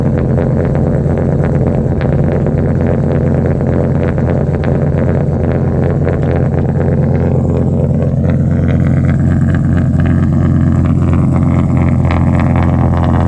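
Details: Ram SRT10 Viper V10 truck, just after a cold start at about 12-13°C before a header temperature check; loud deep steady even idle with no stumbles or misses, some wind on the mic.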